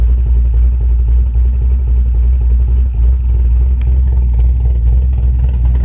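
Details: Camaro V8 with newly installed Summit Racing Max EFI-500 fuel injection, fuel pressure about 35-40 psi, IAC-controlled idle (about 900-970 rpm when carbureted): deep, choppy, loping big-cam idle with even rhythm, no knocks or misfires; idling well.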